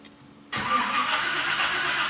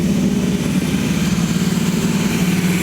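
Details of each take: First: Freshly rebuilt V8 in a 1979 GMC C35 at first start attempt: steady cranking with no firing while it builds oil pressure. There is no spark yet, and the gas pedal was sticking. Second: Freshly rebuilt V8 in a 1979 GMC C35 at first fire-up, held at high RPM for the 30-minute flat-tappet cam break-in: a steady, smooth fast idle with no clicking or knocking. Healthy.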